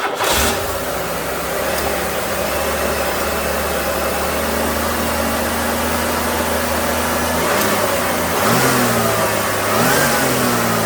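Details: 1994 Buick 3800 tuned-port V6, after a misfire, with new coil, spark plugs, PCV valve and air filter: it starts and settles into a smooth, steady idle with brief rev blips. The AC compressor is short-cycling, low on refrigerant. Normal idle.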